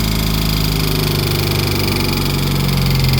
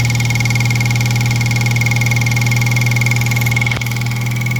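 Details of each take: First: 2003 Mitsubishi Eclipse (3G) idling with the alternator and A/C belts removed. A fast, uneven rattling tick persists. The noise appeared after water pump and belt work, and a damaged timing belt tensioner is the suspected cause, not yet confirmed. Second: 2003 Mitsubishi Eclipse (3G) engine idling after the timing belt tensioner was corrected. A steady low hum with an even, fairly smooth idle beat and a faint constant whine, with no tapping or rubbing; it sounds like a normal idle.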